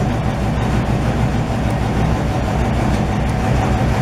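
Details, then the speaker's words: 1968 GMC truck, first start in 20 years, old V8 with minor leaks: deep, steady, even rumble with no misses or knocks, very loud through the exhaust; normal running, loud exhaust. "Not very subtle, is it? no. Somebody's gonna have like a heart attack when you just drive down the street."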